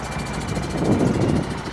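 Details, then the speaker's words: Cheap used semi truck diesel with no power, burning smell, smoking brakes, check engine light and near overheating: rough idle with fast regular knock; knocking noise with power loss, cause unknown. "it's like ain't got no power like I barely made it around that turn and something smells like it's on fire too"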